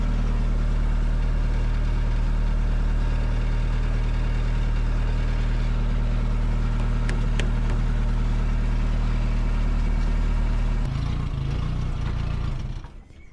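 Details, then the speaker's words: Roadster build on a 1936 Austin 12 frame with a 1800cc Isuzu petrol engine and 5-speed gearbox, run after exhaust and coolant plumbing: an even steady idle with a soft, deep exhaust note, then a clean shutdown. Normal idle. "Not that loud, is it? How lovely that sounds, but look at the gauges."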